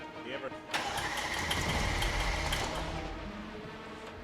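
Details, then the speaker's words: Built 1500 HP Mercedes GT63S engine on its first cranking after a full ECU flash: steady cranking at about 3.5 beats per second to build oil pressure, with metallic rattle from the chain tensioners, then lifter noise. "Just gonna pump some pressure into it first. That's the tensioners. You hear them?"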